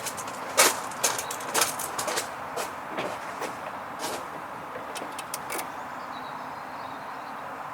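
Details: 1996 VW T4 2.5 TDI (ACV engine) that had been hard-starting for months: sharp uneven single clicks about once a second, engine not cranking; owner suspects a sticking starter solenoid and replaces the starter motor.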